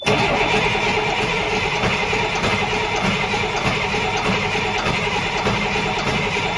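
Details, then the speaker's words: Rebuilt International DT466E diesel, second start attempt after rebuild, dry oil system: long rough cranking with uneven half-firing chuffs, runs briefly then dies; no injection oil pressure. "it wants to go but it'll go on this one guys this is no one's gonna get it well guys uh this sucker just died"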